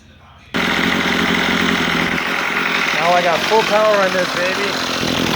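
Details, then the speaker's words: Troy-Bilt two-stroke weed trimmer after carburetor mixture screw turned a half turn counterclockwise to cure bogging: strong, steady high-pitched buzz holding full revs without stumbling; normal running. "I've turned it a half a turn counterclockwise and now I have full power so now you can hear what it sounds"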